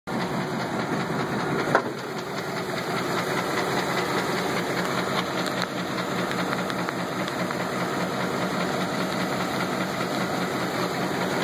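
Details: 1983 GMC engine running: rough idle with a dull, irregular, pretty bad knock; a bottom-end rod knock is suspected.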